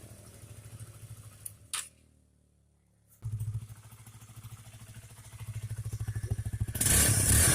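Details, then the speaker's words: Honda CBR motorcycle that dies suddenly while riding, especially in rain, then restarts when kicked; engine stumbles, dies for over a second, then catches and surges unevenly; misfire and stalling from a rusty, dirty, moldy leaking spark plug cap. "Saat hujan, sepeda motor sering kali tiba-tiba mati seperti itu lalu hidup kembali; Mesinnya menyala kembali saat diengkol."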